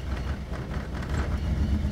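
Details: 1975 Toyota Corolla KE35 coupe after restarting: low, uneven idle rumble that lumps and wavers instead of holding steady; rough idle, owner suspects air-fuel mixture or timing slipped a tooth, unconfirmed.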